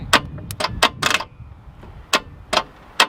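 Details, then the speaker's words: Mazda 1500 wagon with Mazda MA four-cylinder and twin carbs, key does nothing so starter is jumped directly: sharp irregular clicks with no cranking; engine seems seized, battery going flat, unconfirmed. "Righto, so the key does nothing. Leith's now going to just arc the starter motor to see if the motor's seized. See if it'll turn over."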